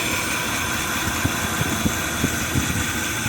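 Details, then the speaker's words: 2004 Dodge Dakota 4.7L V8 with random left-bank misfires, idling on a lift with one bank's injectors and coils disconnected: fairly smooth idle with faint uneven low pulse every half second; running on four cylinders. Coils tested good; owner plans fuel pressure and compression tests. "listen, it's pretty smooth for just four cylinders running on a V8."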